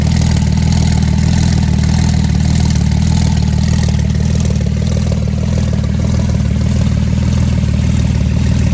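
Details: Flood-damaged Porsche 911 Turbo after water purged from fuel, on base map, intercoolers and air hoses disconnected, Marvel Mystery Oil and 0W40 mixture, not yet warm, equal smoke from each pipe. Loud steady idle, even low rumble, no stumbling; normal idle.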